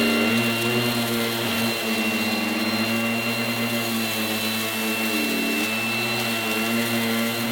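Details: Goblin Roto 1980s mains-powered handheld vacuum cleaner with rotating brush, demonstrated after fitting the inner bag; loud steady high whine with hum beneath, sagging briefly as the brush meets carpet; noisy but fairly effective, normal operation.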